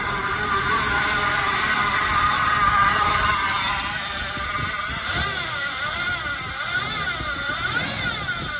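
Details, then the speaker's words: 1975 Lincoln Continental Mark IV on its first revival start, throttle cable disconnected and the electric choke possibly faulty: an uneven, loping idle with a wavering whine that hunts up and down. It runs very rich with black smoke; the cause is not yet found. "a lot of black smoke running very rich it sounds like well it runs ish it's rich it really whines could be a thousand other things wrong but on the flip side it started it ran certainly rough idle"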